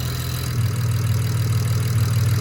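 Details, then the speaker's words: BMW 335i, first start on used replacement turbos (later found bad), oil burning off: steady, even low idle with no wastegate rattle; normal idle. "good though no waste gate rattle we'll let this all kind of burn up and then we'll keep moving forward from there"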